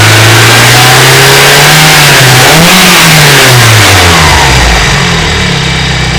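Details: BMW E30 318is M42B18 engine with bad cam sprockets and slack timing chain; metallic rattle over engine note while revving, worst around 2800 RPM (about 3000 RPM after tensioner replacement); driven 50,000 km this way without problems.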